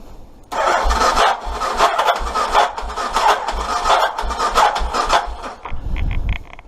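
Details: Aprilia Pegaso 650 project bike with a battery at just over 13 volts: brisk, even cranking thumps under a whirring starter for about six seconds, but it never fires; crank-no-start, fuel present in carbs, spark later found good.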